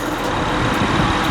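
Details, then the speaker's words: Honda Accord V6 LX after replacing both radiator and AC condenser fans: even steady air rush from both fans spinning, no scraping, ticking or wobble; fans running normally. "Both of them spinning."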